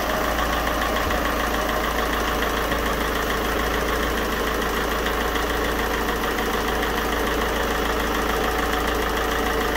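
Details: 2.0 HDi 163 (RHH) diesel just after replacing leaking injector seal from broken injector holder: steady idle, even clatter, no ticking or puffing from injectors, apparently no longer leaking; normal idle.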